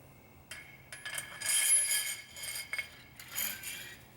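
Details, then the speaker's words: Honda CB450 front fork: the nut holding the spring to the damper had unthreaded and lay loose, letting the spring bounce; light uneven metallic clinks and rattles as the fork moves. "this nut had unthreaded itself and was just laying here on the top just bouncing around at the same time that means my spring was just bouncing around"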